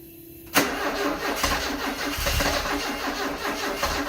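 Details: 1974 Alfa Romeo Spider Veloce, 10K original miles, stored 30 years; crank no start with fuel pressure present and spark confirmed: steady rhythmic starter churn several seconds, never fires; slight gas smell, earlier suspected flooded.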